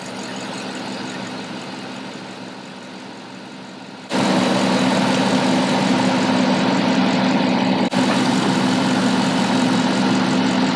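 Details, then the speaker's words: Cadillac, engine idling while recharging the A/C after replacing the expansion valve and receiver drier: idle load steps up as the compressor clutch engages, drops, then kicks back in, short cycling from low refrigerant. "can hear the compressor kicking in but it's turning off because there's not enough refrigerant"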